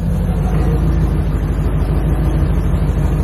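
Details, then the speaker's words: C4 Corvette V8 after TPS adjustment (set to 5.4) and coolant temp sensor replacement: steady even low rumble with no hunting or surging, a little cam chop; idle much better and now normal. "yeah this much better I can't hear it so now that I got it running at a B much better idle"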